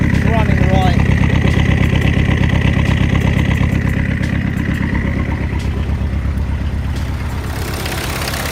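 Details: Peugeot 306 D turbo diesel after injector seal replacement and fuel priming: steady, even idle clatter with a regular beat and no misses or knocks; running right with no injector leaks.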